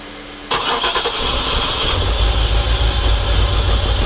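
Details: 1996 Chevrolet Impala SS crank no start: starter spins the engine steadily at about three turns a second but it never fires; spark and fuel to engine confirmed, no pressure at the Schrader valve.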